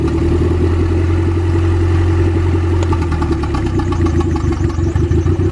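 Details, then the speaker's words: Integra with B20V turbo engine after sitting a long time, smoking; idle starts steady then turns lumpy and clattery as a cylinder drops out, misfiring, suspected zero compression from a cracked piston, not confirmed. "Man, it one's running hella mania though. There's just zero compression from it being cracked."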